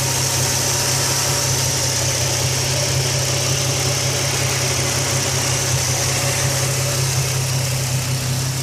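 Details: Nissan 350Z idling: fast, light ticking from the top of the engine, about two a second at idle, rising and falling with engine revs; cause unknown.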